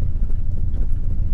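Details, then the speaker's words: Turbo Honda tuned on Crome Gold, just after startup with the cranking fuel trim being adjusted: low, lumpy idle with an uneven, sagging beat as if about to stall; very lean on startup, fuel corrections still need work. "now after startup it kind of sounds like it wants to die it's very lean startup"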